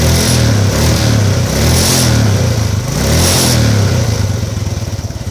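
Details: Modenas GT128 motorcycle after a timing chain replacement (it had still been noisy). Restarted, the small single revs up and down with even firing and no loud top-end clatter, noticeably quieter than before.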